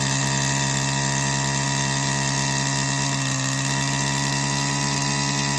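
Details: Stihl FS94R two-stroke trimmer, about 80 to 100 hours, after a maintenance kit with new fuel filter, air filter and gapped spark plug. Steady high-speed buzz, even and smooth with no misses or surging; owner notices a difference; normal running.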